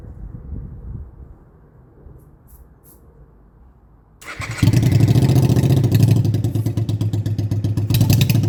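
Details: Honda Shadow motorcycle under restoration, after float work that had fuel leaking from overflow hoses, air intakes open: starts well on its own, fires into a loud, lumpy, uneven run, then dies; owner suspects too much air or too much fuel, unconfirmed.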